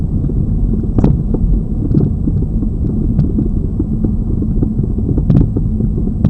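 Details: Lada Vesta Cross, old original right front strut (only the left was replaced under warranty), dashcam aimed at the right strut mount, mount insulated with rags, driving over bumps: sharp irregular thuds every second or two; the strong knock persists.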